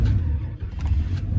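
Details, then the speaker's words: Start of a bone-stock 1995 Dodge Ram 2500 with 8.0L V10 in excellent condition: comes right into life, deep steady low rumble settling into an even idle, no knocks or misses; healthy start, AC then turned down. "Comes right into life. Just turn down that AC."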